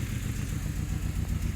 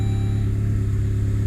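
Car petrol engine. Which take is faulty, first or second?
first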